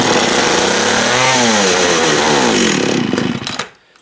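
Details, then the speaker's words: Long-stored two-stroke chainsaw, fuel dribbled into carb by syringe: buzzes hard about three seconds then fades and dies; runs only on primed fuel, gummed carb starving it, carb rebuild planned. "yeah she's got some mung in the carb i kind of expected that i'm sitting for so long"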